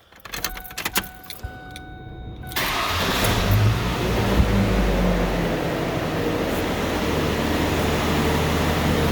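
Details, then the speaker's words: 2006 Ford Ranger 2.3 with newly fitted battery: starter catches and the engine fires at once, settling into a smooth, even idle with no knocks; normal start, runs like a sewing machine. "but listen to a run runs like a sewing machine"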